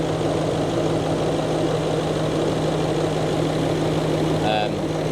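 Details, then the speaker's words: Range Rover L322 3.6 TDV8 diesel started after fitting a genuine OEM fuel filter to cure a leak from a poor aftermarket filter, fuel system primed first; steady even idle, low constant drone, no hunting, misses or knocks, normal idle. "So fired up fine. So it seems okay at the minute."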